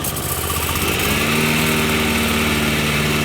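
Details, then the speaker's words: 2010 Toro 21" Commercial mower, model 22198, second hand and due an oil change, with the blades engaged via the blade brake clutch. A steady single-cylinder putter settles and picks up a low spinning hum; the engine runs smooth and even. "So it does have a blade brake clutch, so you can leave it idling. To engage the blades, you can slide this over, pull back,"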